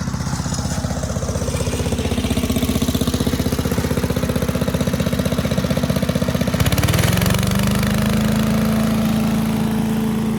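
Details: 1984 MTD Air Sweeper (model 245-692-000), 36 years old, flathead Briggs & Stratton 5 hp (engine model 130212-1731-01): pulls evenly at a steady thump, then settles smoothly at a new speed; runs clean and healthy.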